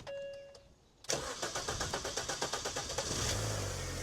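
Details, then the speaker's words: 200,000-mile Mini Cooper started with the radiator removed and no coolant: a faint whir, then about two seconds of starter chugs before it catches into a smooth idle; cranking slightly longer than usual for this car. "A little bit longer than I expected, but yeah, not going to run it for too long because there's no water in it, so let's turn it off."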